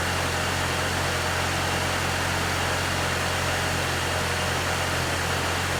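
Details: One-owner 1995 Infiniti G20t, cold start after sitting over 48 hours: steady, even idle with low smooth hum, no surging, ticking or knocking; normal idle.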